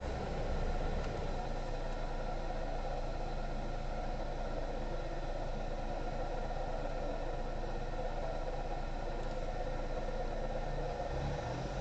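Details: Engine idling steadily with a constant whine over it that does not change pitch: a noisy, worn alternator bearing that warns of imminent seizure.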